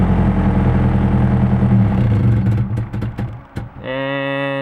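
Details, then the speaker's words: Nissan KA engine running rich with a strong fuel smell, owner suspects the fuel pressure regulator: engine starts fine, then runs rough at idle, struggles to keep idle, and fades within seconds until it dies; stalling at idle. "it's like struggling to keep idle and it goes again"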